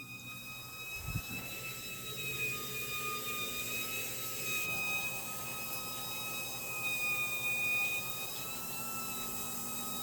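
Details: One-year-old Whirlpool top-load washer gives a steady, piercing high-pitched squeal, formerly only on the spin cycle, now also while filling with water.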